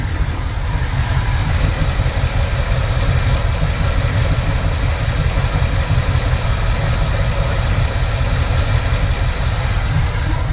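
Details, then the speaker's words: Carbureted engine at idle with vacuum gauge connected: lumpy uneven beat that never settles, no knocking; vacuum reading still fluctuates, hand-choking the carburetor raised the idle; rough idle, cause not yet found. "But it looks to me like we still have some fluctuation in the vacuum. It should be solid all the way across."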